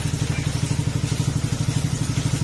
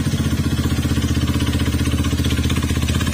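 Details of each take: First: Honda Beat FI scooter after overhaul with crankshaft replaced, reassembled, test start and revving: even steady low putter, no tapping or metallic knock; the ting-tong noise is gone, idles cleanly, needs proper break-in. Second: Honda Beat FI combi-brake scooter with GBT pipe, noisy "kuliglig" engine; another shop replaced only the cylinder block instead of the crankshaft: fast hard metallic knocking about three per second over idle from bottom end; worn crankshaft bearings.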